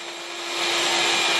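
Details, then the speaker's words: Craftsman 12-gallon, 2.25 hp wet/dry vac running off a solar off-grid battery bank; steady high-pitched rushing whine spools up and holds even; normal operation. "So now we're just going to try the Craftsman wet dry vac. It's at 12 gallon, 2.25 horsepower. That's working on batteries."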